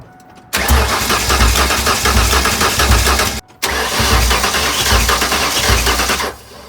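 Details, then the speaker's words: Junkyard Ford 351W with eBay turbos, billowing smoke after valve stem seal replacement: cranking with uneven beat, one stroke lighter each cycle; at least one cylinder low, about 80 psi, loose rockers, bad cylinder head suspected. "I'm about to take out the spark plugs on this side and do a compression test but if I just crank it we can hear it has a low cylinder"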